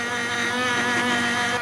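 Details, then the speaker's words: 1985 Ford Ranger fuel pump: steady high layered whine, laboring constantly, fuel visibly aerated and pulled slowly; pump struggling, tank likely needs cleaning. "yeah that pump is struggling oh that fuel looks like mountain dew it is it feels like it sounds like it's well obviously aerated it's trying but it's just terrible"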